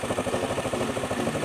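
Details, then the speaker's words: Honda Beat carburetor scooter after repair of white exhaust smoke caused by late oil changes and seizing from lack of oil: idles with quick, even putter, engine case cool, no knocks or misses; smooth and healthy. "Oke, adem ya di bagian mesinnya. Adem, Guys, ya. Halus, ya suaranya,"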